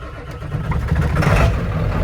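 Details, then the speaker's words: Ford OBS F250 7.3 Powerstroke diesel, long barn-stored, starts after swapping rough battery cables, fitting a new battery and reconnecting a missed wire; deep low rumble builds as it catches and runs on its own, clean start with no stumbling. "Wow. Nice. Finally, the truck starts once"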